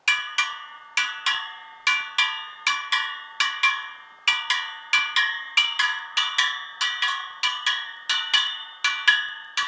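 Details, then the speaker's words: Harley-Davidson wheel just rebuilt with new spokes and nipples, spokes tapped after tightening: crisp metallic pings two or three a second, each ringing at nearly the same note; even spoke tension. "Right round, I would say there, and the ones underneath. They all sound pretty much the same to me."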